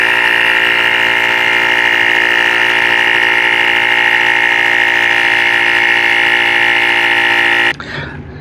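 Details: Yusman 6000A jump starter's built-in 150 PSI air compressor topping a tire up to 35 psi: steady high-pitched buzzing drone that holds even, then cuts off sharply; normal compressor operation.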